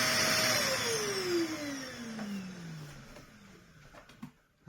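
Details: 2004 late UDS Henry vacuum cleaner after a Vax motor was fitted in place of the failed original; a harsh, rough whine sinks steadily in pitch as the motor runs down. The mismatched replacement motor is unusually loud.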